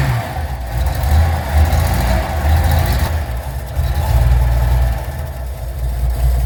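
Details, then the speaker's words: 1981 Datsun 280ZX revived after nine years parked, new battery, fresh fuel and oil, still needing a tune-up: steady idle, revs rise and fall smoothly, no knocks or misfires; running acceptably, actually not bad. "actually not bad"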